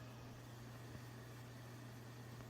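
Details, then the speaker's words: Vintage 1970s Pioneer SX-3500 AM/FM stereo receiver, before cleaning: steady low hum at one pitch with volume up, not from the loudness button, volume control also crackling; hum source not found. "I think the volume is crackling. I hear a slight hum."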